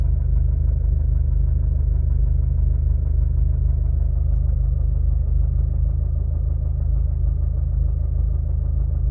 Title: Vw mk6 golf gti knocking sound when idling